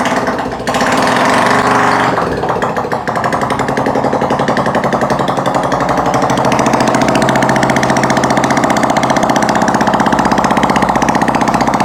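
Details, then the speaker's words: Honda CD70 four-stroke single, started after a piston ring change to check timing, silencer not yet fitted, carburetor being set: loud, sharp, rapid popping at a fairly even beat that settles after start-up. Runs normally without the silencer. "तो अभी start करेंगे, उसके बाद हम इसका silencer लगाएंगे। पहले हम इसको स्टार्ट करते हैं और साथ ही मिक्सर भी करते हैं।"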